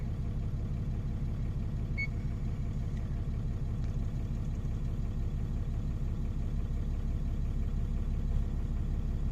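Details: 2014 Ram Cummins diesel after VVT/VGT actuator replacement with an aftermarket part, actuator now responding instead of stuck at 50%, during coolant heat cycling: steady, even idle, smooth low rumble, about three pulses a second, no knocks or misses; normal idle.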